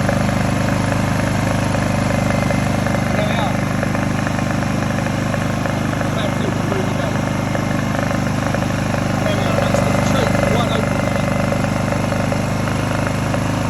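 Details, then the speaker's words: Honda EU20i/EU2000i generator after work on the rough idle blamed on stale fuel, including trying to reach the idle jet: a steady, even idle with a constant low drone and no surging or hunting. The idle problem is fixed. "If it wasn't running properly, that would be hunting like crazy. So obviously sad problem."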